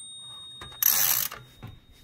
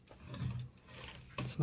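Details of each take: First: Toshiba BW-3112 Japanese kanji typewriter during restoration: sharp bell ring over light mechanical clicks as carriage reaches the margin stop, which slots over to clear the tab, so carriage is not stopped; no line lock. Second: Toshiba BW-3112 Japanese kanji typewriter after reinstalling type bars and cleaning: light, even sliding with soft clicks as the character selector moves, no catching or drag; earlier excess friction is gone and selection is now smooth.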